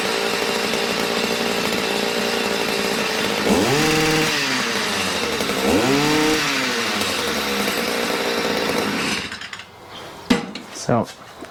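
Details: Stihl MM56/MM65 tiller two-stroke, warmed up, carburetor tuned to near-final setting: steady buzz climbing cleanly on two throttle blips then shut off; runs smoothly, though a drip of unknown source was seen.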